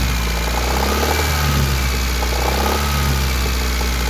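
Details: 1991 Honda Accord F22A1 petrol engine idling with a light repeating tapping knock over its hum, from the top near cylinders 3–4, unchanged since February 2020 and after a 1995 Prelude head swap; valve lash in spec, piston slap or rod bearing suspected.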